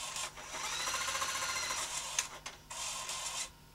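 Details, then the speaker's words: CVC-format video cassette machine built late 1980s to around 1990, first power-up: light, high whirring tape spin with short pauses and no scraping or squealing; normal fast forward after rewind test. "we've put a tape in try rewind sounds good fast forward"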